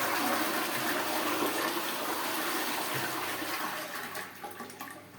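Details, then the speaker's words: Pneumatic concealed cistern after repairing diaphragm: strong rush of water tapering to gentle trickle and refill; full button gives full flush, half button half flush, discharging cleanly. "आप ये देखिए कि ये full पर full flush कर रहा है half पर हाफ फ्लश कर रहा है"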